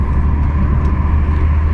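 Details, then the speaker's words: BMW E46 on the highway at 100 in high gear with windows closed, after wheel hub replacement: a steady low road rumble with no growl or hum rising with speed; vibration gone, wheel bearing sounds healthy. "Hey, there's no vibrations. Success. Yes, sir. Yes, sir. Yes, sir. No vibrations whatsoever. And I am driving 100 already."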